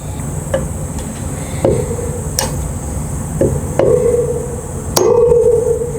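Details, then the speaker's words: Installing a new wheel bearing on a Suzuki DR650 hub: irregular hammer taps, later blows ringing longer and more solid as the bearing bottoms in its bore; bearing fully seated. "That sounds like it might be it. Hear that different sound. I think it's seated, but I'm going to give it just a few more taps to make sure"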